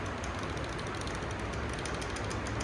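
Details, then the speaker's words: Running motorcycle engine in a mechanic-training class with quick steady metallic ticking; tappet noise from excessive valve clearance, fixed by resetting the adjuster to a hair-width gap with a gauge. "ज्यादा gap आएगा तो टक टक टक टक टक टक टक टक टक टक जो आवाज आती है ना, ये आ रही है, ये आवाज गाड़ियों में आती है।"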